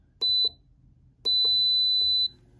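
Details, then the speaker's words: Three-year-old Castle Serenity pellet stove, freshly cleaned, on 123 V and drawing about 1 W on standby: at start-up two clean high beeps sound, a short one then a one-second one, as draw jumps to about 509 W for the igniter; normal start signal. "and now the Watts immediately jump to 509 and let's monitor that a little bit close okay there we go 504 and that that big jump in the watts is because it's running the uh igniter"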